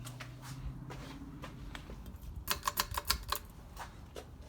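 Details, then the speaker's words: Ceiling fan (with light kit) running on high speed: steady motor hum, then quick irregular light glassy ticks as the pull chain taps against the light globe. "now if you hear that little clicking noise and stuff that's the poor chain tap in the globe"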